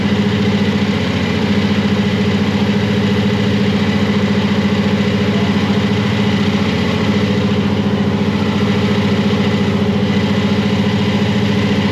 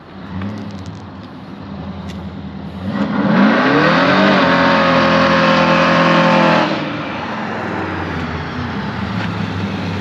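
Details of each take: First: Supercharged (blown) Chevy C10; lumpy but steady idle pulsing about 214 a minute with heavy burbling exhaust: idle mixture deliberately set rich for warm-up, screws to be run in. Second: Blown Chevy C10 on its first drive, pulling to 6 pounds of boost: hard pull with rising blower whine climbing with revs, then clean lift-off; sounds clean and much better after vacuum-leak and timing fixes, healthy under boost.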